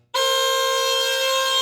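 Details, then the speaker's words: 2007 Volvo XC70 original horns after freezing cold weather: thin reedy high honk with almost no low note, the low-tone horn just buzzing like a duck; low horn failed, high one weak; replaced with Hella Supertone horns. "went to honk the horn as we drove away in the freezing cold temps say she's in her apartment waving at us through the window and here's what the horn sounds like that's pathetic"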